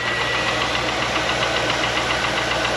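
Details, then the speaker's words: 2001 Chevrolet Corvette C5 LS1, abandoned and not run in years, cold start after pulley greasing: fast light metallic rattle over idle; piston slap, expected to go away once warm. "Start up. There we go. Still hear a little bit of piston"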